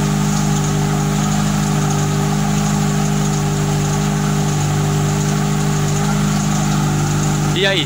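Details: Fiat Tempra 2.0 16V at cold-start idle, first start of the day, hood open: loud busy mechanical clatter over the engine, no clean rhythm; owner suspects rod bearing, piston or a simple bearing, unconfirmed; exhaust also very loud.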